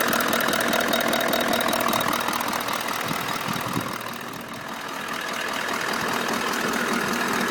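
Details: Toyota Land Cruiser LC200 at idle when warm, steady tapping about four times a second, heard clearly from the left side of the engine behind the filter, in P, D and N, absent when cold and while driving; knock, cause unknown.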